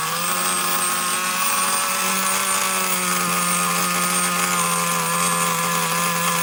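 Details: Traxxas Nitro Slash nitro engine on the bench: a steady, high buzzing drone with no dip toward idle. The throttle linkage is slightly off and pulling the carburetor a little open.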